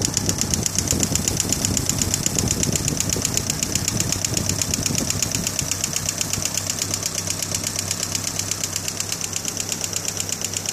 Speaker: all right we got my 91 gmc sonoma um iron duke right there as you can hear is that ticking i've replaced all the lifters and whatnot